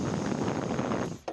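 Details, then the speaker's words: Turbo truck intake pressurized with a drilled, tapped PVC cap and air inlet for leak testing; steady hiss of escaping air fading as pressure drops; boost leak from a missing 10 mm bolt. "sure you can hear the wind noise so that has been my boots leak"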